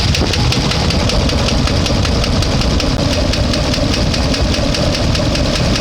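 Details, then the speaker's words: One-ton truck engine warm at about 200–205°: sharp even tick about four times a second at idle; owner suspects collapsed lifter, plans new lifters; valvetrain tick unconfirmed. "still making noise sounds like a collapse um or something like that uh it's bad"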